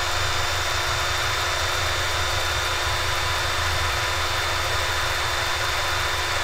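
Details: RC brushless motor, expected 1200 KV, spun while measuring phase frequency to compute KV after a suspected rotor failure: steady clean high whine at constant pitch, no rubbing or rattle, then cuts off; motor runs smoothly and healthy.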